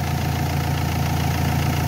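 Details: Renault Espace 3 2.2L idling during an alternator test, 14 volts measured at the alternator: steady, even low idle, no knocks or whine; engine and charging system healthy.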